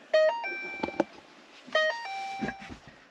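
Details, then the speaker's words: 2013 Ford Fiesta with no-crank no-start being repaired: two bright multi-tone chimes about 1.5 s apart during key programming; normal confirmation tones, all four keys believed programmed, though a transmission control system electrical fault remains. "so at this point I believe that all four keys are programmed"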